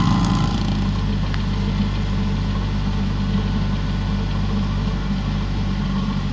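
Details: Used 2018 Woodland Mills WG24 3-point stump grinder on a tractor PTO (run below the rated 540), working a beech stump: steady engine drone, even low hum, no surging, clatter or grinding bursts; running strong and healthy.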